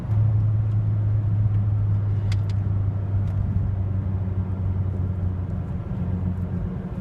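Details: Mazdaspeed3 after sitting about 2 weeks, about 2 miles into a drive at steady pedal: engine drone wavers and stumbles, revs dropping sharply around 3k rpm and surging back repeatedly; misfire with surging, owner suspects fuel pump.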